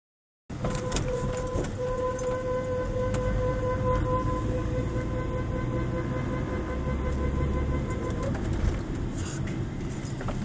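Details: Seat Arosa: a steady mid-pitched brake squeal comes and goes over low road rumble while braking.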